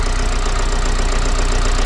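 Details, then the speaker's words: Vauxhall Vivaro 2.0 diesel van after injector replacement and coding, engine case breathers refitted, intercooler and MAP sensor not yet fitted: steady low idle with a dull knocking noise running through it. "I'll just start up and um you can finally hear what it sounds like got that knocky noise"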